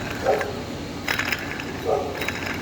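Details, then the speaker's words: Water pump from a 1.3 Multijet / 1.3 CDTI diesel engine spun by hand off the engine: rough, gritty ratcheting crackle in short bursts, the same noise the engine made; worn water pump bearing. "Az önceki motordaki ses bu işte"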